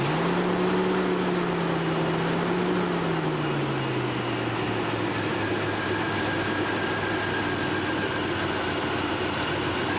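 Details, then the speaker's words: Chevy 4.3 Vortec V6 truck, still faulty after a shop repair, settles from a raised idle to a steady low hum that runs a tad rough with faint unevenness from two swapped spark plug wires; sounds stronger, working on all six cylinders. "all right set it off okay she running just a a a tad bit rough there um but nevertheless though she sounds a lot stronger"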